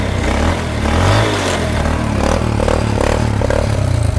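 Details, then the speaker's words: 1986 Honda Astrea Star motorcycle, electric start works but battery weak: steady low even putter with no knocks or rattles; small single idling smoothly. "Nah itu ya. Nah ini bunyi ya. Nah itu bunyi ya, Bang. Mesin halus."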